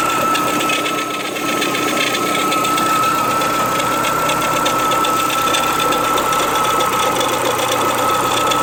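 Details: Renault Clio 182 with 67k miles and belts changed on schedule, at idle: a steady high whine and light tapping about four per second from the top left near the cam pulley. It is not the usual diesel-like dephaser sound; the owner wonders about early dephaser failure.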